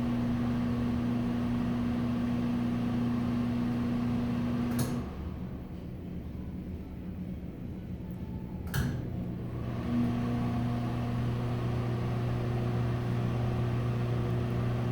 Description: Here is a Broan exhaust fan. It hums a lot. It was at a subway restaurant.